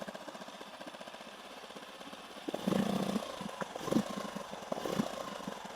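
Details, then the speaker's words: 8 hp four-stroke outboard, rebuilt after a broken connecting rod from running without engine oil, restarted in neutral: even idle pulses, then clean throttle blips that rise and settle smoothly without misses or knocks; runs healthy. "นี่นะครับผมเครื่องนิ่มเลยนะครับผม"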